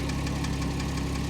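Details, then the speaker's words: Porsche Cayman S, horizontally opposed engine at idle, listened to at each side: quick even ticking about six per second, louder on one bank; computer shows oil full, owner first thought lifters; cause unknown. "you definitely hear the tapping let's go over to the other side remember this is a horizontally opposed engine so definitely hear it more over here"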